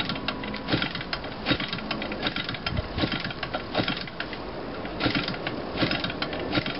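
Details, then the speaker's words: Hand-cranked gasoline engine of unknown size, cranked with the magneto lined up near compression, gives uneven chuffs and pops a bit more than once a second, sputtering as if about to start but never catching; cause unconfirmed. "it sounds like it's getting ready to start because it has like a sweater to it"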